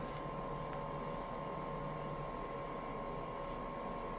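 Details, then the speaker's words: IKEA Vindriktning PM2.5 air quality sensor powered by USB at startup: faint, even hum with thin steady tone, slight vibration, no rattles or grinding; tiny internal fan running normally. "Oh, it has a fan. I can hear a fan. So, it actually does have a tiny fan in it."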